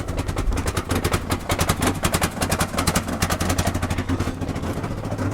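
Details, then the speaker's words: 1994 Ford Ranger just started on a vodka and Red Bull mix in the gas tank. Uneven sharp pops, about three a second, break through a rough, stumbling note as it nearly dies. It is misfiring; the owner suspects the mixture got into the fuel pump. "Oh, I'm not getting anywhere. It's dying. It's popping. What the hell's going on here? It must be in the fuel pump already."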